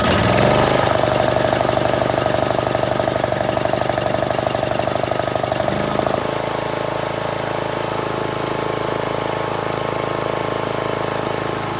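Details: John Deere L100 small single-cylinder engine: uneven lumpy thump about twice a second that smooths later; owner suspects bad fuel.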